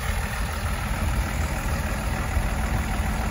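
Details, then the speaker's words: 2004 Blue Bird SC2000 transit bus, diesel, parked with caged rear brakes: deep even idle rumble, no misses, knocks or hunting; normal idle. "But now that she's running and appears to be running pretty good,"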